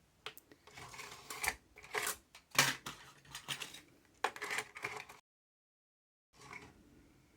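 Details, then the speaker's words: Aiwa XR-MD510 MiniDisc slot loader after lens cleaned with IPA (maybe WD40 contamination): faint irregular seek clicks and whirs then quiet, Disc Error with flickering LED, struggling to read; later reads and plays. "oh disc era huh we got flickering LED there oh it's not going to read in there"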